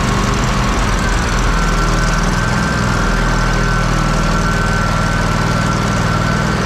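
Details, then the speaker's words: Kohler CH750 in a Miller Trailblazer 302 AirPak welder, after the owner's repair: a steady even drone with a low thump and no knocks or misses. It sounds pretty much identical to the other welder. "oh 340 don't they sound pretty much identical now Mike wins Mike one again"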